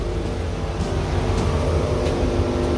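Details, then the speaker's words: Volkswagen Golf 6 R, reportedly stage two tuned, with a misfire and splutter: steady loud air rush over a low idle as the radiator cooling fan runs on high, heard at the start of diagnosis. "I hear the fan is running on high. How's the temperature?"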